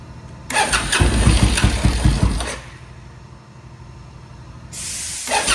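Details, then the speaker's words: Suzuki VS1400 Intruder V-twin, cold start on choke after carb work and cleared pilot jets, rear cylinder previously not firing: engine catches with an even, lumpy twin beat and restarts cleanly; both cylinders now firing. "Oh, I think we're getting two. I think I'm hearing two cylinders started."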